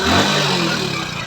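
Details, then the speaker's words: Hero Splendor Plus BS6, after a fix that cured heavy clutch slipping, ridden with a passenger: engine rises strongly and evenly under load pulling away, no slipping or clatter; normal acceleration. "तो हमारे customer भाई भी बैठे और जैसे हम bike का clutch छोड़ते ही बाइक यानी कि छलांग मारने लगी। तो काफ़ी मस्त बेहतरीन पिकअप आ गई।"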